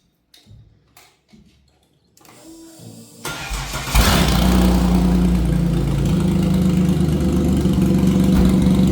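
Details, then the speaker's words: Nitrous Ecotec V6 Commodore race build, first start after installing a Temu fuel cell with 91 fuel and relocating the battery to the rear (battery low on charge); short crank, catches, brief rev, steady even idle; normal. "It's alive. Oh, battery works."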